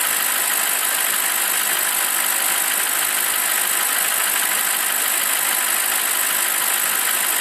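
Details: BMW 745i E65 V8 after a 2°C cold start whose clatter disappears after 1 min 20 s: warm, smooth even idle with a steady hiss on top and no tapping left.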